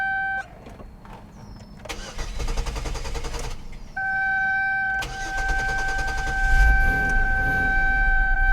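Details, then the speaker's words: Fire-damaged Chevrolet Equinox after rewiring, suspected wrong relay box: short cranking bursts, engine briefly catches and runs rough, then dies again. "but hey hey well it's better than it was doing there she goes and it's gone again"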